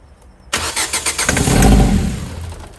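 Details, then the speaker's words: Car that cranks but won't start: quick even cranking pulses, catches briefly on starting fluid sprayed into the intake then dies; no fuel delivery, suspected fuel pump, fuel relay or fuse. "So the problem being, no fuel getting to it, so it's either a fuel pump, fuel relay, fuse."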